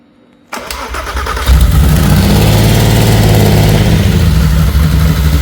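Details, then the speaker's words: VW R32 engine running on the floor before swap into a VW T5 Transporter, first start after water cleared from plug holes: loud, slightly erratic wavering idle because the airflow meter is unplugged. "It sounds okay. It's running a little bit erratic. That's because the airflow meter is not connected."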